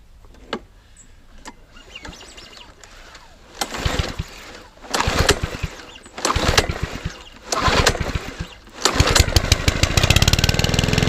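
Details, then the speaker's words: Mountfield 164 lawn mower engine found partially seized, freed up and refuelled, first test run: several pulls catch briefly, then a steady, even single-cylinder run with no misfire, knocking, smoke or fuel leaks; healthy. "Right, that lawnmower, as you can hear, is in the background running away. It's not smoking, not doing anything it shouldn't do."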